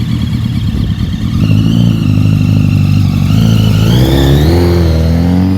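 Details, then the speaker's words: Rebuilt 2005 Honda CBR1000RR engine: a thin, high whistle rides over the engine note and climbs with revs, traced to the balancing shaft. "So now I've discovered that whistle is actually a balancing shaft. I didn't know what a balancing shaft was."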